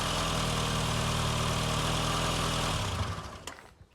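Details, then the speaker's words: Barn-find Austin Maestro just after fuel pump replacement, no fuel leaks: engine runs with an even, steady beat, then winds down; normal running, pump now drawing fuel from the tank. "that's good I'm happy with that fuel pump replaced and working well"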